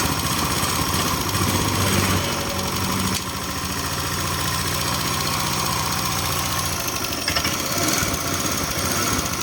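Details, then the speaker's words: Honda Click 125/150 scooter just after a water pump replacement and coolant refill, run to check for leaks: the engine ticks over at a steady, even idle with no knocks or rattles; normal idle. "ตัวนี้เครื่องยนต์กำลังทำงานนะครับผม"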